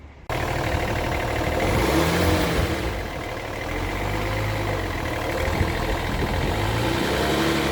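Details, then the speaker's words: BMW E60 3.0d M57 diesel after exhaust manifold replacement: revs rise and fall smoothly with no hiss or puffing; the earlier false-air sound from the cracked manifold is gone; normal revving. "I hope that this movie is useful also that you've managed to hear the sound of the false air when when I was describing the issue and then afterwards when he came here the sound is gone"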